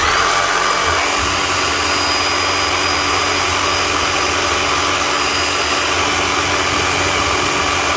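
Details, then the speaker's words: Power tool after fitting new A50 brushes: steady high-pitched motor whine with a rough airy hiss and still sparking; the new brushes may still need to bed in, otherwise the armature may be on its way out. "all right that's as much as we can do still sparking that could be to do with a new brushes they still have to bed on a little bit so you're going to get a little bit of sparking out of a new set of brushes"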